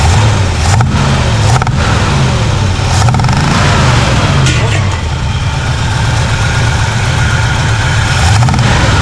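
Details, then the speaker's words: 1967 Chevy Impala 283 V8 with a fresh starter, spewing black smoke. Loud uneven idle with sharp pops back through the carburetor while the exhaust sounds good and there is no valve noise. Suspected stuck or non-sealing intake valve, possibly from sitting; not confirmed. "oh girl sounds good at the exhaust but that popping through the intake that's showing it's got a stuck intake valve or an intake valve but this is sealing completely"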